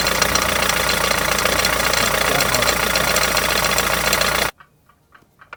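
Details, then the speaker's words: Rover 75 diesel (BMW TD4 engine) at idle: loud, fast, clattery rattle about three to four knocks a second; crank pulley harmonic balancer rubber has failed and the two halves are separated, fixed by replacing the pulley. "as you can clearly hear the two halves are separated so there is nothing for it but to change it"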